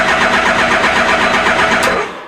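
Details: Suzuki GSX-1300R Hayabusa with rust in fuel, cranking over to build oil pressure before start attempt; fast even cranking with no firing then spins down, oil pressure light goes out, fuel pump primes, engine turns freely.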